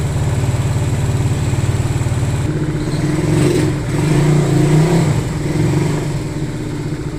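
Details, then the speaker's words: Single-cylinder motorcycle running again after being checked and repaired, idling and blipping. Uneven, loose pulse over the low thump with an extra noise present; source not pinned down, and the owner will observe it. Engine noise. "So yun mga boss, no, after na ma-check at gawin yung motor ni boss, umandar na naman yung motor niya. Yun nga lang, may ingay."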